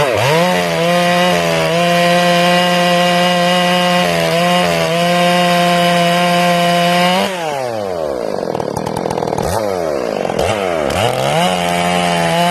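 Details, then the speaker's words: Ported Stihl MS461 on its first cuts during break-in, carb set a little rich, not full-speed cutting: a steady high scream in the cut, then burbling, uneven four-stroking as the chain enters and exits the wood. The limited coil caps RPM, adding to the four-stroke sound. "Now notice that you hear the saw 4-stroking as it enters the wood and as it exits the wood."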